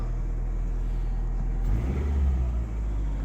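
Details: 2005 Nissan Altima no-start fixed by cleaning the intake sensor, new filter and clearing sand from the intake manifold: steady smooth idle, then a quick clean rev back to an even idle, running normally.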